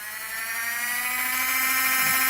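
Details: LGB small locomotive Bühler 7-pole motor and reassembled gearbox on bench supply at 20-24 volts maximum, drawing about half an amp: loud steady high whine, no knocking or grinding; normal gear whine at full speed, just noisy.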